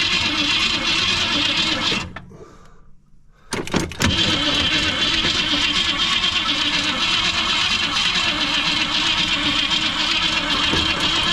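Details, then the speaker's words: 1964 Ford Fairlane 500, 260 V8, sat 29 years; starter turns it steadily with only faint scattered firing while throttle is opened, suspected points or condenser fault. "open it up a little bit still don't seem like she's firing much go"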